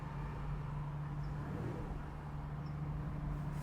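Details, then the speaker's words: 2014 Porsche Cayenne bought as a red-light auction car, idling: low steady even purr with no knocks, no vibration, no smoke or steam, no dash lights; normal idle (separate noise reported on acceleration and lift-off). "No vibration. Runs fantastic. Doesn't smoke, doesn't steam."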